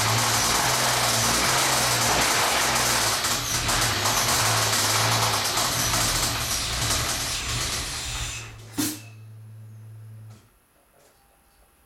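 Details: 1998 SVT Contour petrol engine at idle with a steady, rapid knock under a heavy hiss, from bad rod bearings.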